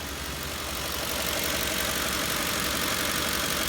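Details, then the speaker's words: Ford 5.4L 3-valve V8 (2004-2008 F-150/Expedition/Navigator) idling evenly with no stumble after replacing the cylinder 7 coil pack and spark plug; previous misfire and rough idle appear fixed. "it's running steady and yeah looking steady so I think that fixed our problem"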